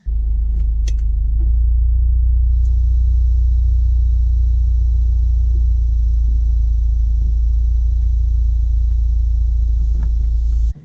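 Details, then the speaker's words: 2018 Subaru WRX cabin heater blower motor: steady heavy low rumble with faint hiss, loud at any fan setting, before the OEM cover and clips fix. "ever-present every time the heaters on I can always hear it doesn't matter if it's on like the lowest setting the highest setting it's just there and it's loud noise"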